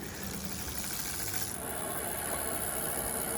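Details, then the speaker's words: 2021 Specialized Allez Sport rear freehub body sound test while coasting: steady soft whirring hiss with no distinct pawl clicks, mostly bearing noise; normal freehub coasting. "Sounds more like you just hear the bearings than anything, but there you guys go."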